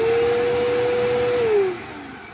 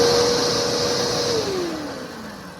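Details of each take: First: Upright vacuum cleaner: steady mid-pitched motor whine with no brush slap, then winding down; drive belt broken so the brush roll won't spin and it won't pick up; fix is replacing the belt. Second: Vacuum just refitted with a working belt on the brush roll: smooth motor whine falling steadily in pitch as it winds down, with no belt slap or grinding; normal running.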